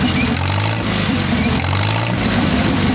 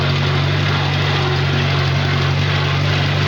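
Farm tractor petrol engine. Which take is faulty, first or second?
second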